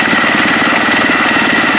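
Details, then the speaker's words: HondaX4 mower build engine at low idle with the clutch engaged: quick, even putter with steady firing and no misses or knocks. Normal idle. "That's a nice little calm idle."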